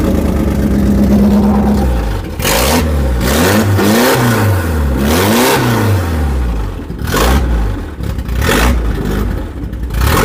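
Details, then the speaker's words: Volvo 740 petrol engine, first start in about 20 years after scrapyard rescue: brief crank, fires, then revs rise and fall in clean repeated sweeps without misses or knocks; starts and runs healthy. "She's alive."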